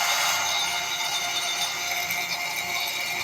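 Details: Truper 1/2 hp peripheral water pump after rebuild with new bearing, cleaned shaft and motor body: smooth, steady high-pitched whir with no knocking, rattling or grinding; normal running.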